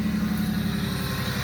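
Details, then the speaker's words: 1998 Ford Mustang, first start after sitting 10 years, new gas tank: fired right up, steady, even, smooth idle with no knock or miss, left to warm up. "right up on the first plane great city for 10 years wow [Music] sounds really good i'm gonna let it run awhile let it heat up for the first time in 10 years"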